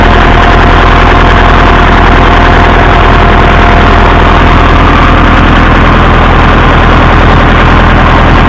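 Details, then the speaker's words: Massey Ferguson 165 tractor with plenty of oil pressure: heavy steady idle with a dull knock about three to four a second; owner suspects a rod knock, not confirmed. "I think that's Johnny Rod in there knocking his way out. He hasn't poked through yet, but I guess."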